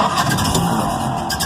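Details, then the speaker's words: Restored 1931 Ford Model A, low-compression engine, after advancing the spark and adding hand throttle, then bringing the spark down once it fires; it catches and settles into a rough but steady low-speed run. "we go so you start it you bring down the spark and that kind of just where the NZ sounds good and if you adjust the model now and then we'll have a pretty low engine speed I guess"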